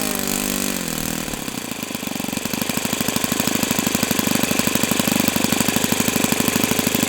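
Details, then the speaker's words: O.S. FS-91S II model four-stroke engine, first run on a test stand, about 78°F and humid: cranks about a second after priming, then a crisp, even, fast beat with no misses. Healthy, and it frees up once warm. "Okay. Wow. So, that's a nice engine. Very nice."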